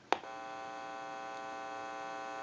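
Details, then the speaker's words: Open test amplifier button pressed after the checkout of a repaired PTT rotary desk telephone made in Holland. A click, then a steady low buzzing hum holding without change: normal amplifier hum. "is normal for an amplifier"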